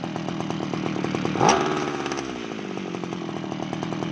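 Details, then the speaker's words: Kawabichi T-400 two-stroke grass cutter, long abandoned by a cow pen, after carburetor cleaning and replacement of a leaking carb fuel O-ring: starts in one pull, quick rev then steady crisp idle with no misses; healthy running. "เดี๋ยวเรามาสตาร์ทดูครับโอตาติดง่ายมากครับผมีเดียว"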